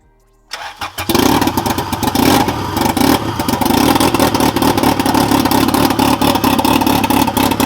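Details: Fully built turbo Integra first start after engine install, fuel pump primed three times, no leaks, on a battery unused for about a year: brief crank, quick catch, strong steady idle with even pulses; healthy.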